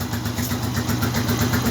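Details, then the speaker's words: Zanella RX 150 single, cold start on a cool morning, same carburetion as warmer days: even steady putter at about 800 rpm idle, no knocks or misses; healthy cold-start idle. "acabo de poner en marcha la canela está regulando"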